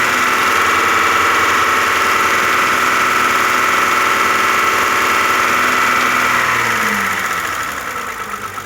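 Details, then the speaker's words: Audi A6 idle; oil was like tar, oil change due. Steady even idle with only light fast injector tick, no lifter clatter remaining; healthy. "А это вообще ни о чем. Масло поменяет, пойдет. Там масло как мазут было."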